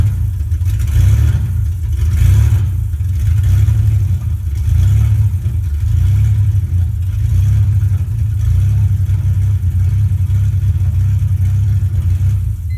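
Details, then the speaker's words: First start of a 2001 BMW E46 325i touring with a 3.0 engine from a 2002 330i donor and 5-speed manual swap, exhaust wide open at the headers, immobilizer bridged, in neutral, no coolant yet: loud deep raw rumble at fairly even idle. "fuel hoses connected the exhaust is wide open headers I've got the immobilizer box bridged to 12-volt"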